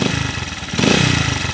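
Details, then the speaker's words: Honda TMX155 single-cylinder motorcycle, owner reports ticking when cold that disappears when warm: rough, uneven low rumble and clatter, grinding rotation and vibration swelling when blipped; diagnosed worn crankshaft bearing, still heard spinning after shutdown. "kakaiba yung tunog nito mga kaabo kakaiba yung andar niya yung ingay ng makina kakaiba oh parang may ma-i na umiikot sa loob"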